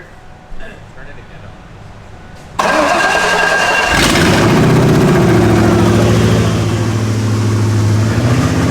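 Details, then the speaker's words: Junkyard-pulled Ford 5.0 V8 swapped into a Ford Ranger, first start: engine cranks, catches and climbs to a fast, steady idle that never settles; a disconnected vacuum line causes a big vacuum leak and high idle. "we'll hook up this vacuum thing right here so it doesn't have a giant vacuum leak because it was idling really high"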